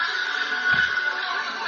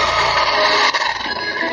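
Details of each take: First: Radio after repair of a faulty ground connection (previously crackly, breaking up, cutting in and out): program audio plays clean and steady with no crackle, hiss or dropouts. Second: Small radio playing harsh, fuzzy, crackly music smeared under noise before disassembly; crackling, distorted audio, cause suspected, not confirmed.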